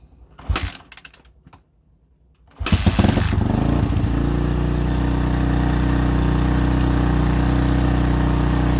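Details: 2005 Honda CRF150F, a street-legal bike brought in as a no-start with low compression, after valve adjustment and carburetor tune-up: a few kicks and pops, then it catches and settles into a steady, even single-cylinder beat with no misses, running healthy.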